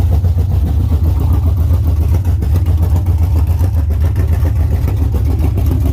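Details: LS-swapped Chevy Camaro V8, first start after rebuild, no coolant or transmission fluid yet: deep throbbing V8 rumble pulsing about twice a second, no knocking or misfire; normal start and idle.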